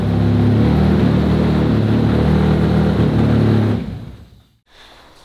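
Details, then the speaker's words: RS4 Limo 2.0 project engine, warm start after warm-up enrichment was adjusted, while the cause of its smoking is being sought: a steady, even warm idle with a smooth rumble and no hunting or misses, then shut off, running noticeably smoother. "gute Nachricht ist wie ihr hört läuft da schon deutlich schöner"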